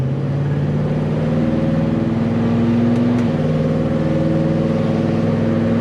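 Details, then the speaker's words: Chevelle on first drive with new transmission and shifter, nearly every gear used: engine pulls cleanly through a shift with pitch stepping down evenly; no clunks, whine or vibration; driveline normal. "Not hearing any kind of vibrations or any kind of weird driveline noises. Things are looking pretty good."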